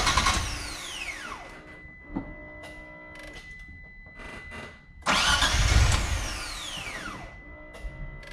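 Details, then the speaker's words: Mitsubishi 3000GT VR-4 after a new fuel pump, AEM fuel pressure regulator and gauge install and boost/vacuum leak fixes: two bursts of cranking with a falling whir, each fading without catching. No fuel pressure reported. Cranks but won't start. "there's no fuel pressure there's no fuel pressure I don't know it"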